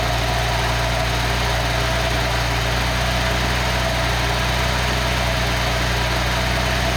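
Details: Engine on a test stand running on the existing ECU to confirm the setup works: steady even idle with a constant low thrum, no misses, knocks or surges; normal idle.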